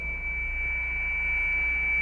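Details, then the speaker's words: Pixie II transceiver powered at 9 volts, not transmitting: steady unwavering high whistle from the oscillator signal leaking through to the antenna, heard nearby but lost with distance; oscillator whistle, not an actual transmission. "entonces el pitido que se escucha ahorita es el pixi oscilando no transmitiendo"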